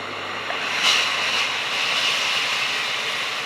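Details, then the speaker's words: Tefal Access Steam Force DT8270G0 handheld garment steamer, 2000 W, new unit, continuous steam in turbo mode, turbo held about two seconds for the once-every-20-seconds blast; sudden loud hissing rush holding steady a couple of seconds, normal. "and you heard that wash there so it takes about two seconds to just press and hold down on that turbo button once every 20 seconds"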